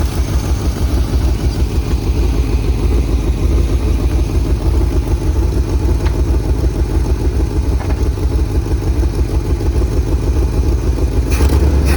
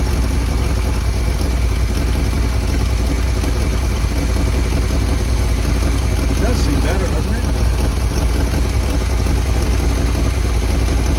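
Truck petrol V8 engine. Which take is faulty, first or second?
first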